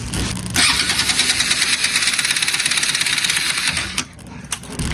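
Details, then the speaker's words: Bajaj Pulsar RS200/NS200 that stranded its owner; starter spins the engine fast and loose with no compression pulses, a free-wheeling whir from a jumped timing chain. "Y pues ahorita si le das marcha, el pistón gira libre así, sin compresión. Prácticamente gira muy suelto."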